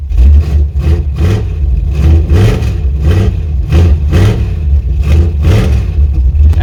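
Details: Chevrolet C10 V8: deep rumble surging up and down about every second as throttle is blipped, won't hold idle unaided; cause suspected, not confirmed.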